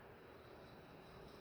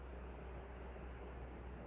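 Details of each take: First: Nutone 48-inch Proline PFC-48 commercial ceiling fan running: loud, steady gritty rattle over the airflow while the motor stays quiet; not bearings, something loose, likely the canopy or a missing isolator. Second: Nutone Proline PFC-48 48-inch commercial ceiling fan running on high on the capacitor test rig. A steady, even rush of air with a low hum underneath and no ticking or wobble. The fan is running normally.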